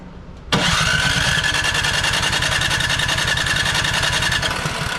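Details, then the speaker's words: Craftsman snow blower (Huayi carburetor, Powermore engine), sat unused a couple of years; starting fluid sprayed into intake, rough uneven chuffing, turns over but won't catch. No-start from gummed carburetor with stuck throttle plate, governor unable to move. "doesn't seem like it's still starting common issue sometimes on these and it happens when the when the throttle plate down in there gets stuck so it'll get all gummed up"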